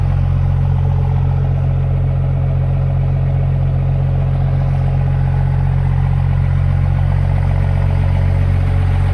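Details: 5.9L 24-valve Cummins diesel in a one-ton project truck, after a no-start: water-contaminated fuel drained, broken crank sensor ground wire fixed, started on one old battery with a booster charger. Deep, steady idle, even clatter about three beats a second, no misses; normal idle.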